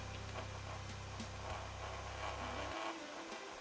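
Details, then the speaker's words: Small 5 V ball-bearing cooling fan in an iCharger 3010B charger, powered before balancing: low steady buzzing hum, audibly vibrating enough to move, dropping away near three seconds; fan out of balance. "Ну и займемся балансировочкой вентилятора. Заколхозим здесь. Он здесь оказывается на 5 вольт. Слышно, как он вибрирует, даже он передвигается."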